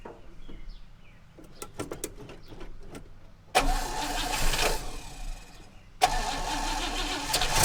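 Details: 1960 Oldsmobile Dynamic 88 hardtop that sat for a couple of years, primed with fuel from a jerry can through a new 3/8 fuel line: scattered clicks, then the engine catches with a rush, dips, and fires again into a steady, strong run that holds; normal start and idle.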